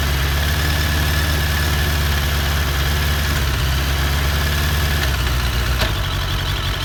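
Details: 2001 Suzuki Bandit, about 16k miles, after carbs cleaned and synced: uneven lumpy idle with popping/hissing and revs sagging as idle drops; losing cylinder 3, intake boots checked with no leaks, plugs good with spark.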